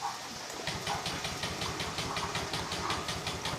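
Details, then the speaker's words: Honda Vario scooter, fuel pump hum heard at key-on, electric starter cranking rhythmically about three beats a second but not firing; mechanic suspects weak battery, will try the kick starter. "Memang saya merasakan ee apa namanya itu akinya kurang kuat. Oke. Enggak bisa hidup kan?"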